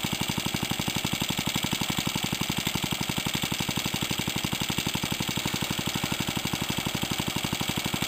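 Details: Suffolk stationary engine compressor set, first test run with compressor bolted on, new pulley and temporary belt, tank pressure rising then load released: even steady chuffing about four beats a second, no knocks or misses; runs normally.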